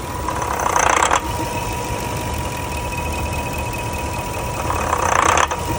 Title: rough idle after engine warm